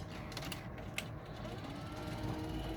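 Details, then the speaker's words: Betamax player loading a tape, closing and rewinding: soft motor whir with light irregular clicks as the tape winds; the transport runs normally. "Hit eject. Put my tape in there. Hit close. You're gonna hear it wind up. I'm gonna hit rewind."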